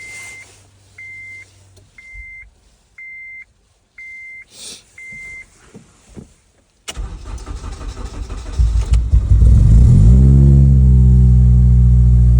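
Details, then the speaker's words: Acura RSX K24A2 after new thermostat, knock sensor, throttle body adapter and cleaned IACV and throttle body: chime, then cranks, catches and pulls up smoothly, pitch climbing evenly; healthy acceleration. "uh VTech sounds strong though"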